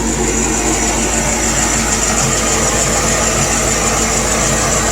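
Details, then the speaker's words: C4 Corvette idling after its water pump was replaced: smooth, even idle with a faint steady hiss up top and no rattles or knocks. The earlier rattle noise is gone and there are no leaks, so it sounds healthy. "you listen to that? See how quiet it is? No rattles."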